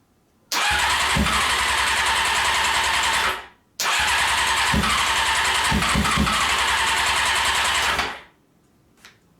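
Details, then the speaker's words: Honda CBR600 engine out of frame, no throttle hooked up: two short bursts of revving that die after a few seconds each; gasoline in float bowls but it only runs on starter fluid. "it has gasoline in the float bowls but it only seems to want to run on starter fluids"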